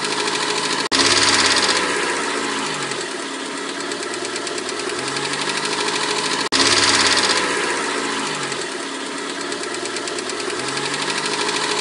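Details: 1991 Mercedes-Benz 190E 2.0, cold engine: fast, light metallic ticking from the top end, about three or four a second at idle, from defective hydraulic lifters, at least one sticking; occurs only when cold, cured by replacing the lifters.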